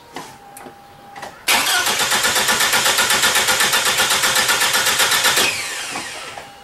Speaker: I'm going to crank it this is normal compression this is what you're going to hear with normal [Applause] compression